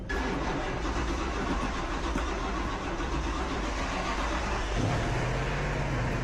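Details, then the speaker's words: Chevy 350 V8 in a Ferrari-kit Pontiac Fiero with Holley Sniper EFI, first start after replacing broken pushrods/rocker arms, no coolant: fast, steady high idle that won't settle, running very rich and dumping fuel; EFI setup still misadjusted. "My head hurts from this thing running so fat back here. It's just dumping way too much gas."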